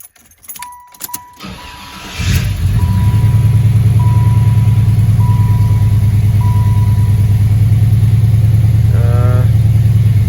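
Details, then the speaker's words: Impala SS LT1 350 V8, first start after idle air control valve replacement and a week sitting: chimes, short crank, catches to a steady even but high idle around 1500 rpm; tachometer may be off, cause unconfirmed. "Still looks like it's idling a little high. I mean, this is the first startup in a whole entire week, so you know what I'm saying, I'll give it some time, but it definitely does sound okay, you know what I'm saying?"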